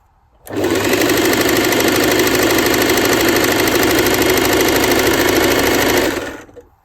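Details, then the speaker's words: Janome sewing machine winding a bobbin, run by pressing the foot pedal by hand: a smooth steady whir ramps up, holds an even speed for about five seconds, then winds down; normal bobbin winding. "Now what we do is that end, we snip that end off there like that. Now we're going to continue winding the bobbin."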